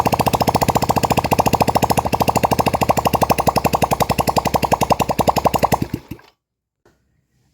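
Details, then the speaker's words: Yamaha Vega R that kept stalling: first start with exhaust not yet fitted, sharp even popping beats at a steady quick idle, then clean shut-off; runs smoothly. "Oke Kang Bro, jadi motor udah mau hidup. Sekarang lanjut kita pasang knalpot dulu, terus nanti kita coba cek lagi setelah apa namanya terpasang knalpot."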